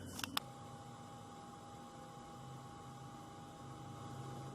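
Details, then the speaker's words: 2013 Ford Explorer with new LASFIT LA9005 LED headlight bulb, just installed and switched on: two quick clicks, then a faint, steady, even whir of the bulb's cooling fan running normally. "Light's working good, and I can hear the fan running. I can even look at the fan and see that it's running."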